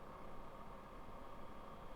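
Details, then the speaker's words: Sundown Audio SCV-7500D amplifier on dyno test, fan running: faint steady mid-pitched buzz over low hum becomes audible near 123.9 volts output, well past distortion onset at 97 volts; clipping buzz. "we're up in a hundred and twenty three point nine volts at the point where I can audibly hear that buzzing noise from the amplifier so I'm just telling you guys I do not recommend setting gains by the buzzing noise"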